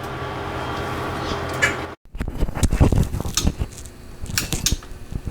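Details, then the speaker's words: JVC JR-S200 receiver, left after warming up, with random noise blasts: steady hiss and hum cut out, then return as irregular crackling bursts as the protection relay clicks in and out. Meters go wild; fault is in the left channel. "Okay, you can hear it clicking in and out of protection. You can see the meters just going nuts on the left-hand side. The problem is definitely in the left channel."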